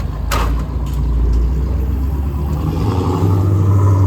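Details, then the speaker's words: BMW M50 with cracked head replaced by a fresh head, valves lashed, head studs torqued to 86 ft-lb, first start: deep, steady idle with brief clatter at start, then smooth with no knocking or misfire; sounds healthy before warm-up. "Sounds healthy. I mean, everything else is done. We'll warm it up and we'll test it."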